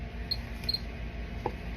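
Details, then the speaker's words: GM survey meter (Geiger counter) in a nuclear medicine daily check: sparse, irregular sharp clicks, about four in two seconds, over faint room hum; normal response to check source. "ce you can hear it ticking and the closer I get to a uh radiation Source the louder and the faster it gets"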